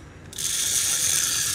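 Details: Used Japanese-market fishing reel no. 27 being test-retrieved: fine, even whirring gear rattle as the handle turns, with no catches or grinding. It retrieves smoothly.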